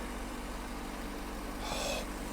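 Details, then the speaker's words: Engine of a free 1997 BMW 740i, started after sitting for years of neglect following a no-start diagnosis and fuel pump replacement, idling smoothly and evenly with no stumbles or knocks and little shaking; normal idle. "oh she sounds good holy moly you got to be kidding me yes yes she's alive she's not even shaking too much either"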